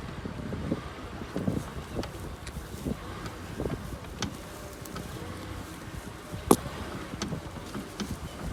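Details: Mitsubishi Pajero 4 while driving; sharp irregular knocks over road and wind noise from the front suspension, pointing to a loose front suspension part.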